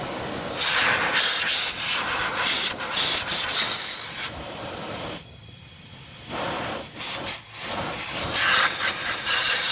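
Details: Ford 6.0 diesel Excursion charge air system pressurised with shop air at 25 psi: steady loud hiss of escaping air; boost leak in the plastic intercooler (CAC) tube.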